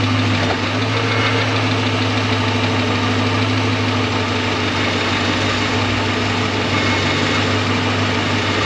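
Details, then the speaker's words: 2006 Dodge Magnum idling on ramps after 722.6 NAG1 transmission rebuild, about a quart short of fill: steady idle with a loose metallic buzzing rattle from wiggly tailpipes hanging on rubber hangers, judged acceptable. "the tail pipes down there so they're a little Wiggly but it's it's hanging on the Rubber and it's tight there and it's tight there so we're good"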